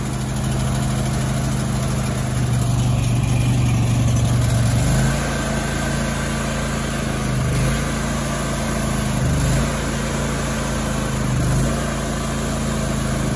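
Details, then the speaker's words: Grasshopper 225K zero-turn mower just after a fuel pump and fuel filter replacement, choked and still cold, with the air filter cover missing. The idle drone rises and dips every couple of seconds. Idle surge, which may clear once warm. "so got a little bit of a surge to it it'll probably clean up once it warms up"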